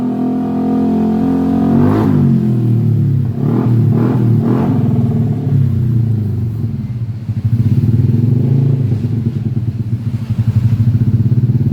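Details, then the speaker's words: Yamaha Aerox 155 scooter after a total electrical failure, fixed by reconnecting a disconnected cable in the ignition circuit and charging the battery; brief crank, revs, then steady even idle, normal start. "Okay, the motorbike can start the engine."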